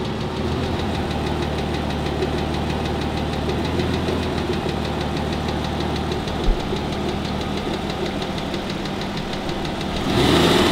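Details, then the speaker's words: Aston Martin DB9 engine, warm, on a lift with load and raised rpm: a fast uneven cyclic tick over a steady idle, loudest from under the front wheel arches; piston slap from worn liners plus worn small-end bushes. "but this block was removed from a car that was making exactly the same sounds what we've just heard and it's a combination of two things"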